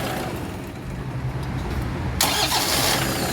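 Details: Toyota Vigo diesel after starter motor repair, with timing belt and engine oil replaced: starter spins briskly, engine catches quickly and runs on with steady clatter; strong, healthy start.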